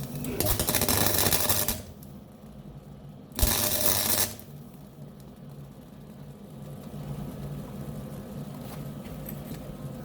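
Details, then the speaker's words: Beginner MIG plug/spot welding: two roughly one-second bursts of harsh uneven crackle and popping instead of a smooth sizzle; spattery arc, welder unsure whether travel speed or wire speed is too slow. "Is that spattering because the speed is too slow? Or the wire speed is slow? I don't know."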